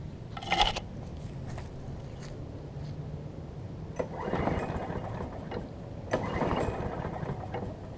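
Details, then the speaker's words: John Deere JS35 push mower after a new flywheel key, replacement carburettor and primer-bulb conversion from auto choke: soft, steady low hum running evenly without stumbling, with knocks nearby; runs normally. "so let's crank it up and I'll show you all that it runs"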